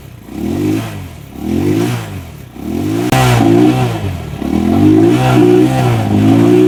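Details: Rusi Macho 175 single-cylinder, after water in the tank and carburetor was drained: it blips up and settles back in repeated rev bursts, picking up cleanly with no misfire; sounds healthy.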